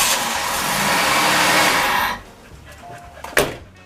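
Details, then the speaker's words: 1986 Oldsmobile Regency (98) with no spark, after replacing cam and crank sensors: starter spins the engine steadily for about two seconds with no firing; crank, no start, sensors ruled out. "well that confirms it it is definitely not a cam or crank sensor so we got some more digging to do"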